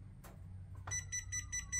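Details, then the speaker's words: Seesii professional laser level kit, just powered on: short high beeps repeat about four or five times a second, an out-of-level warning before the internal pendulum self-balancing system levels the laser line. "yeah so the beeping it's telling you that it's it's not level"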